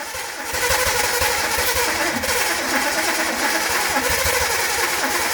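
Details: After a distributor fix gave consistent spark, the car with rebuilt SU flat-top carbs is choked and cranked; it catches within half a second and settles into a steady, even run with no misses.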